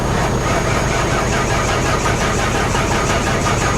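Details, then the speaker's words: 1992 Ford Crown Victoria hurricane flood car, reportedly 11k miles, cranked on a booster pack: quick, even cranking that never fires; water is suspected in the engine, and it may be locking up. "yeah there's the booster pack beeping it's cranking it there's water in the engine we should not be cranking this"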